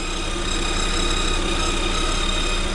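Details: 2021 Lada Vesta, about 3000 km, at idle: steady high whistle from belt drive, getting louder over time; owner says clearly from alternator area, maybe the idler roller; fades after about 10 minutes driving.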